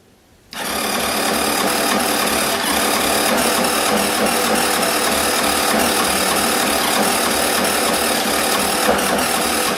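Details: Suzuki Address V125G scooter: harsh, clattery mechanical rattle through the engine at idle and revs; abnormal engine noise, engine described as blown.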